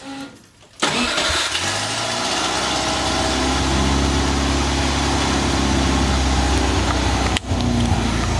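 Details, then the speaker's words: Porsche 911 after wiring the alternator exciter wire: engine catches right away and settles into a smooth, steady idle with no knocks or rattles, charging about 14.5 volts, running slightly rich; normal start and idle. "perfect I can't believe that well this thing starts up"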